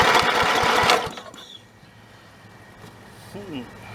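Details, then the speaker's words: Snapper 30083 rider engine abandoned in the woods 20–25 years, fitted with a borrowed carburetor and an electric starter: quick even cranking chuffs for about a second that never catch; no start, magnetron ignition unit suspected dead. "well back to the drawing board i guess old magnetron unit must be dead be back"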